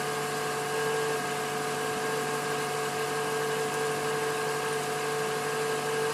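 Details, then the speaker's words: 2012 Toyota Camry SE with 5,000 miles, cold start at 66°F, recorded on an outside microphone. Smooth, even idle with a steady hum and no knocks, ticks or misses. A normal, healthy cold idle. "going to show a CO startup of uh Toyota Camry 2012 model um at the temperatures right now is 66 F degree"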